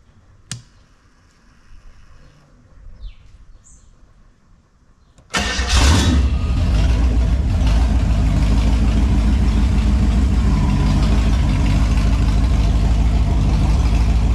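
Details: Holden 253 V8 on bench after freshen-up (new main and big end bearings, honed bores, new rings, Yella Terra heads, timing chain, gaskets): quiet few seconds, then fires straight up, steady even idle, no knocks, misses or leaks.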